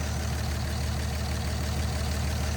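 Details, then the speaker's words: Cummins diesel truck idling after removing thread tape from fuel pressure sensor port and fitting new sensor: low, even clatter with steady beat, no stumble or hunting; smooth idle, good fuel pressure now. "Well, that seemed to do the trick. You can hear how smooth she's running now."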